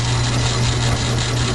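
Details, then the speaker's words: Logan lathe with new idler bushing, about 750 rpm taking a light pass on 1-inch steel: smooth low hum, no gear whine or clatter; gears quiet, only remaining noise thought to be from the upper part. "All seem to be running really good. Quiet. I think the only noise I'm getting out of it now is just stuff up in this part here."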